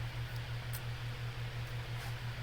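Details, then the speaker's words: Two-speed bathroom fan, reassembled after oiling seized bearings, on high speed: even steady low hum at constant speed, no scraping or wobble; running normally, though spin-down still weak. "as you guys can see it's running much better it's running it's running just like it should that is on high speed selling a two-speed model"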